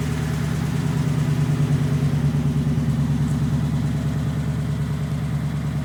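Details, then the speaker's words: 1932 roadster, first engine start after reassembly despite weak starter and low battery voltage: low, even idle pulsing about three per second, no knocks or misses; running smoothly with little work needed, normal idle. "Anyways, it's running good. I really didn't have to do a whole lot to it."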